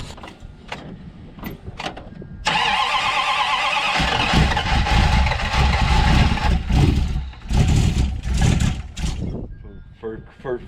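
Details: Dodge Dart after electronic ignition conversion, cold day: cranks a few seconds, catches and runs rough and uneven with lumpy stumbling beat; ignition timing likely needs setting.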